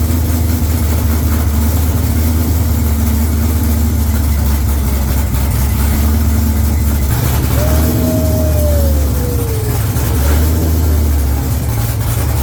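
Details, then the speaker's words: C5 Corvette V8 at first start after installing an A&A supercharger and new fuel system, no exhaust fitted, jump-started, not yet tuned: deep open rumble, idle rises and sags gently over a few seconds; slight surge, no fuel leaks. "But it sounds good, and guess what? Best part, no fuel leaks. There's a little bit of a surge, so we gotta get it tuned an"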